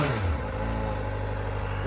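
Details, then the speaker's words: 2023 Kawasaki ZX-4RR inline-four, about 400 miles, just after its first oil change: idle indicates about 1750 rpm against 1400 in the manual (gauge possibly optimistic). Smooth, even hum with no misses or ticks. Healthy idle. "see at idles it indicates about 1750 but the manual says 1400 I know the speedometer is pretty optimistic I'm sure the RPMs probably are too but it sounds pretty good just purrs like a little kitten"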